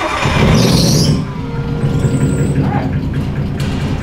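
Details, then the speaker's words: Drift car with rough-running engine before turbo replacement: loud high squeal for first second, then lumpy, uneven idle with ragged low rumble, sounding terrible; cause unclear. "horrible that sounds absolutely terrible"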